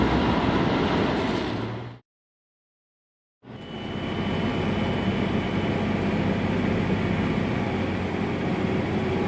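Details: 1997-2003 Dodge Dakota 3.9 engine: steady hum with a pure ~3 kHz high tone that doesn't change pitch with engine speed, mostly in very cold weather; suspected Denso alternator bearing or power steering, idler pulley or water pump, unconfirmed.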